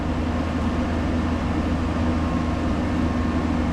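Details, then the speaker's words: Ice Air PTAC unit tripping breaker: heavy, steady low hum droning on as the compressor sits locked rotor, drawing about 40 amps, staying locked too long before starting; intermittent locked-rotor fault. "That's still on lock rotor for way too long, though."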